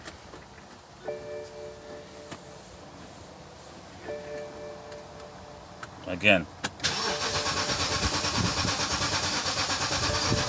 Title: 2008 BMW X5 crank but won't start